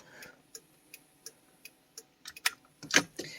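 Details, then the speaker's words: Honda Civic with wiring work by a previous owner: crisp, evenly spaced clicks, about three a second, in a quiet cabin; the hazard flasher is working normally. "i don't know what in the world they were doing i mean the hazard lights work they they do work"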